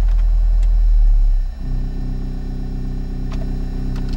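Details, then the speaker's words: 2004 Toyota Corolla 2.0 D4-D diesel: a low idle that steps up and holds a higher speed by itself when the A/C or front defrost is switched on. An engine warning light had been reset earlier. "déjà c'est lors de l'usage de la clim ou ou par exemple du dégivrage avant le moteur accélère tout [Musique] seul là je viens de mettre juste la CL le moteur accélère de"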